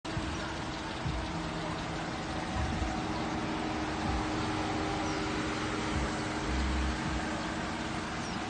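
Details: Healthy 5.7 Hemi V8 idle after lifter and camshaft replacement with a lifter and cam kit, 3000 miles later: steady, even, smooth low rumble with no misfires, stumbles or ticking; normal idle.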